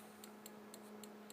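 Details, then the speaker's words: Homemade high-voltage transformer in a DVD case, using a bug zapper circuit with an upgraded transistor and a flyback transformer. Crisp, even spark-gap ticks, three or four a second, over a steady fan hum: normal operation. "you can hear that clicking which is the spark gap inside"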